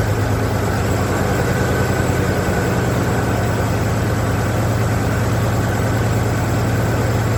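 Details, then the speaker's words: 1992 Ford Flareside truck on a day about 20 degrees warmer, with the used distributor cap cleaned, warmed up: a low, heavy idle with an uneven loping beat and the engine still shaking. Lopey rough idle; owner suspects a dead cylinder or two and may adjust the static distributor timing. "as you can see see by the way the engine is still shaking there's a lope to it so i think i might have a dead cylinder or two"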